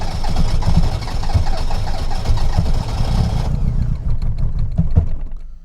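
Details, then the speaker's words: Reliant Robin MK2 Anniversary Edition start, held on a little throttle. It cranks and stumbles with uneven, lumpy firing, not on all four cylinders, before half catching. It is hard to start. "She's not happy. I've got a little a little bit of throttle just to keep that revs going. No. This might take a while. She's not firing on all four cylinders straight away."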